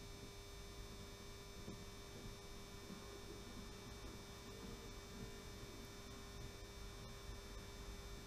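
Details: Model railway, 16-year-old power controller: loud steady low mains hum at one unchanging pitch from the old transformer controller while the funicular railway runs.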